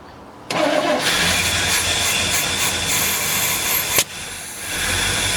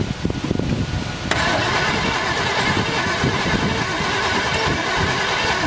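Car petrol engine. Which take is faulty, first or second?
second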